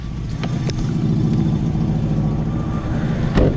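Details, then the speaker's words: Cold engine idling after the exhaust manifold gaskets were replaced. Loud raspy puffing roar with irregular misfire-like chuffs, like a bad exhaust or vacuum leak. The noise comes from low down; the owner suspects the $40 gasket or the crankcase. "Like, I hope you can hear that on camera. It just sounds like crazy exhaust. That sounds like a vacuum leak though."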